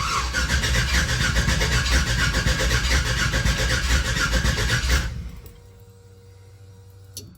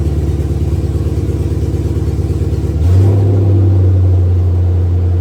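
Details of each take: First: 1966 Chevy C10 pickup, freshly swapped from an LT1 to an LS1 V8, on its first start attempt. The starter cranks steadily for about five seconds with no firing. There was no fuel supply because a ball valve in the fuel line had been left turned off. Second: 1966 Chevy C10 with a newly installed stock LS1 V8 swapped in for an LT1, restarted once more; no charging or cooling system is fitted yet. An even low rumble steps up to a smooth, quiet idle. Normal idle, and the stock LS is noted as quiet.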